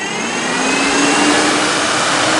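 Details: Automotive radiator fan converted to a PC case fan, powered from a PC power supply via a Molex connection: steady airy whoosh with a constant low hum, even speed and no rattle or scrape; the fan runs normally.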